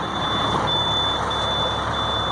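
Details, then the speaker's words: International 4300 DT466 crane truck after subzero cold snap: steady high-pitched low air pressure alarm buzzing over diesel idle, air not building; owner suspects ice in lines or stuck governor. "I started up today we will let it run a while see if it starts building their pressure I can hear the air pressure alarm"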